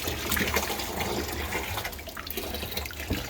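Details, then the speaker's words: Ice rink system prep, draining brine; after opening a fitting up high to clear a suspected air lock, steady gurgling rush of liquid with splashy trickles flowing freely and evenly; free brine flow. "i'm going to climb up here and open this up because right now i think there's like an air lock in there this should help yeah there you go you can hear that"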